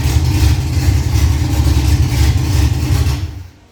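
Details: Freshly rebuilt Ford Cortina 3L V6 Leisure, first start-up, idled briefly with no coolant in: deep steady idle with even beat, no knocks or ticks, then clean shutdown; normal idle.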